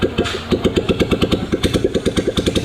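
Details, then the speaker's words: 2008 Royal Enfield Bullet Machismo 350 ES (17 years old) during restoration, started without its silencer: loud, sharp, raw open popping, barky and unmuffled, a strange sound; the bike had stood a long time with an oil leak. "और ये start करी हुई बिना silencer है, कुछ ऐसी अजीब सी आवाज़ आ रही है, कितनी अजीब सी आवाज़ कर रही है"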